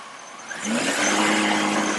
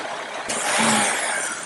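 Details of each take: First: Engine, throttle applied: picks up smoothly and settles into a steady, even run with clean tone and no misfire or stumble; O2 sensor switching and fuel trim responding; normal acceleration. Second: Engine at idle, already very lean with random misfire: brake booster vacuum hose deliberately popped loose, a sudden loud steady airy hiss of a major vacuum leak, used to force the oxygen sensor lean; its reading didn't change.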